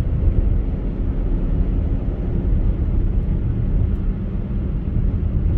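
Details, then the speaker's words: 2013 Chevy Equinox that stalled and ran rough after refuelling (engine flooding), on a road test after the faulty part was found (tags suggest purge solenoid): low, steady engine drone under road rumble with no surging or sputtering, running normally. "Runs fine, no surging, no sputtering, no farting. Runs the way I would anticipate one of these things running."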